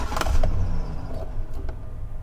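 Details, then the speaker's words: 2013 Chevrolet Silverado with no fault codes: cycling the key from off to on and back to off gives a short growl and starter clunks as the starter tries to crank the engine when it shouldn't; cause not confirmed. "it tries to crank when you just cycle the key on and back off"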